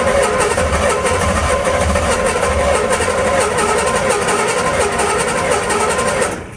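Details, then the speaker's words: 1981 Chevy C1500, freshly cammed carbureted 350 small-block V8, first start: catches, runs rough and stumbling a few seconds, then cuts out; flooded with a wet spark plug because the choke had no ground and couldn't open. "So, definitely flooded it. And that would actually make sense because I totally forgot we still don't have a ground for our choke."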